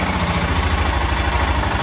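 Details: 1996 BMW F650 Funduro single-cylinder after carburettor strip and rebuild (cheap repair kit had wrong-sized jets); engine warming up, even steady thump at idle with no misses or stumbles, carburettor now fuelling cleanly.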